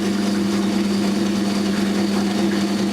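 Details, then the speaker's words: 1980s Australian-built Simpson Mini-Matic washing machine, pump at the back: steady low motor hum with a faint even churn, no scraping or knocking; the motor is running normally. "There's a pump at the back, and there's a motor over there doing its job."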